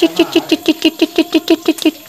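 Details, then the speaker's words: Yamaha Vixion (old model) engine running with a cracked water pump seal: sharp mouse-like chirping squeaks about six per second; radiator coolant already black but not yet mixed into engine oil. A hard seal makes no sound. "tanda-tanda Sil water pump sudah mulai pecah ya jika keras tidak akan timbul suara tapi kalau pecah itu suaranya kayak bunyi tikus seperti itu"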